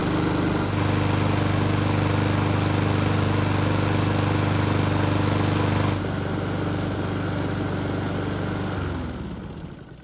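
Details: Honda lawn mower after an engine swap (original crankshaft badly damaged), with the recoil starter cleaned, lubricated and reinstalled: steady, even single-cylinder drone at constant speed, then winds down at shutoff; runs smoothly.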